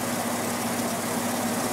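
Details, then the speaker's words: Haier 5,000 BTU window air conditioner, about 3 years old, Qingyan compressor, at startup: steady hum with faint scraping rub; debris inside is rubbing. "There's some debris in it that's rubbing. That's what that sound is."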